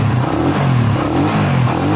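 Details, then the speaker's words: Raider 150 motorcycle brought in for ticking (lagitik) noise, started cold after the bent, scored cam was replaced: crisp revs rise and fall smoothly with no ticking or clatter under the exhaust. Engine healthy. "O ayan naandar na Ong mga Kula oh bub umban"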